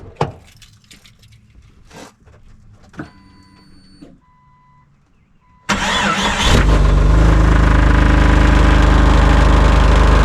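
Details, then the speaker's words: 2001 Jeep Cherokee, about 183,000 miles, with a rusty, likely original muffler, started after a Muffler Weld paste repair: a loud, deep, steady exhaust rumble at idle. The paste failed to seal the blown muffler seam; a new muffler is needed. "well that was a pretty quick experiment and uh we got some pretty quick results the muffler weld did not work on the seam of the muffler so I guess that means we need a new muffler fun"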